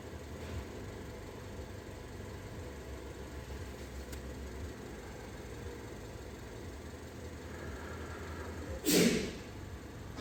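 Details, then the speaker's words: 2019 Peugeot 5008 with 1.6 THP 16v turbo, complaint of noise on first morning start; warming up: quiet, smooth, even idle with no knocking or rattling. "Peugeot 5008 já tá funcionando vamos deixando aquecer aqui"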